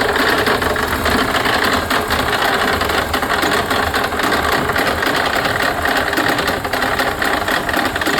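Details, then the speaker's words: 2002 Mercedes-Benz C32 AMG after supercharger bearing change, fixed pulley and new tune: rapid even clatter from start-up with supercharger fully engaged, reportedly gone on throttle; owner suspects something between the twin screws; knocking at start-up, cause unconfirmed. "So every time you turn it on now with the fixed pulley, it's still making that noise because the supercharger is now fully engaged whenever the car turns on."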